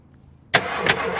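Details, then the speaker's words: 1968 Ford XL Fastback, 390 Z-code big block: with ignition off, the starter suddenly cranks hard on its own; owner suspects a fault in the switch, not confirmed. "The ignition is off, but check this out. I got this brand new remote starter right here. It ain't supposed to work like this."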